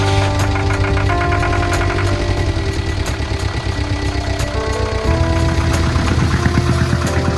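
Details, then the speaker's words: Volvo Penta MD11D sailboat diesel just after the rusted exhaust elbow was replaced, with cooling water now coming out. Steady, even idle with no knocks or misses, under music. Normal idle. "there's water coming that's a good sign"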